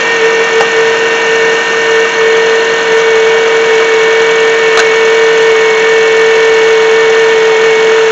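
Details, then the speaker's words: 2007 Honda CR-V running: constant high-pitched whine holding steady over engine; bad alternator not charging, about 13.7 V, only 12.23 V with load; alternator to be replaced. "Alright, so as you can hear, there is that hazing sound. Hazing sound tells me that it's got a bad alternator in it."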